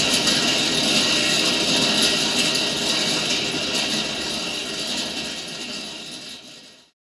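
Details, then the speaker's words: Mr. Heater Big Maxx garage heater under a year old: the fan roars up with a fast, fairly even rattle of about three per second from inside the blower motor, not the cage, then winds down; the blower motor has broken internally. "okay so it is the fan motor this is not touching the cage anywhere it's down in the motor there"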